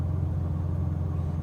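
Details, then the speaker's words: Cheap Maserati cold start idle next morning after overnight on a battery conditioner: low steady even rumble without knocks or squeals, smoother than the day before; oil pressure and voltage good, no warning lights. "She sounds good and that's pretty smooth."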